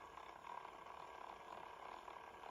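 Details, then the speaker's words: Sanyo M-GP27 1980s personal cassette player on 3 V playing a tape: a faint, wavering motor hum that never builds to a firm whir, then a click. The stretched drive belt slips and barely turns the reels. "yeah it's trying to work but you can hear the motor trying to spin up there and it's really not turning the reels very well so imagine in the extra the extra weight of the tape and we just haven't got the torque through the belt so imagine the belt slipping"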